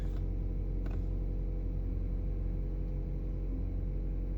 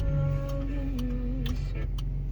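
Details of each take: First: 2018 Chevy Colorado idling after replacing key remote batteries: steady low idle with no repeating turn-signal-like clicking, which had occurred with key in and door open; new remote batteries appear to fix it. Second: 2018 Chevy Colorado with key in makes sharp steady ticks about twice a second like a turn-signal relay though signals are off, continuing after switching off and opening the door; cause was dead key fob remote batteries, replacing them fixed it.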